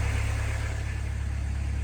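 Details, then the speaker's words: 1991 VW Jetta GL diesel, warm after about 10 minutes running following new timing belt and water pump, coolant temperature normal, no warning lights: smooth even low clatter at steady idle, no knocks, squeals or hunting; sounds as before, normal. "it's been running for about 10 minutes now uh yeah no sounds good sounds just like I did before"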